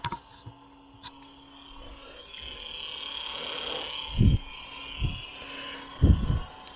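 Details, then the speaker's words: Remote electric water pump on LS engine (Ultra 4 build), grounded and run straight off the battery while purging trapped air: steady high whine with low gurgling surges about a second apart as air clears; pump moving coolant normally. "But I think we're actually moving fluid now. We got it grounded, and then we're just going off the battery."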